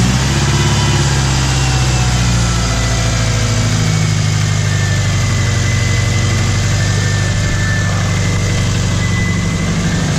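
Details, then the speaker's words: Junkyard Subaru flat-four, bought advertised as ticking, first start after head replacement: deep steady idle rumble with a faint light tick; knock sensor check engine light returned, suspected rod knock. "I did change the heads on it I was hoping the ticking us was from the heads unless these heads are ticking too"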